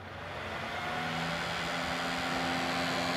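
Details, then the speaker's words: Ontel Handy Heater Turbo 800 ceramic wall-outlet heater, run about 12 hours a day: steady motor hum with a fine buzzing rattle that stops when the unit is squeezed; tightening the back screws didn't help, owner suspects the fan itself. "you put that vibration but if I squeeze it you hear the vibration goes [Music] away"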